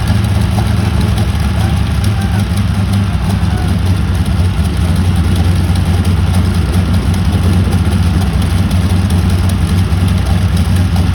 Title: Prat and Whitney R-935 first start in 18 years#cool #experiment #boom #aviation #engine#radialengine